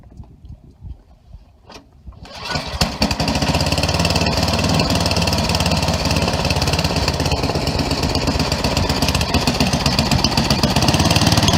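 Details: Craftsman 11/30 snowblower after auger belt replacement, with the high-speed screw backed off because it had been revving very high: starts quickly and fires fast at an even speed, without surging or over-revving. Normal running after adjustment.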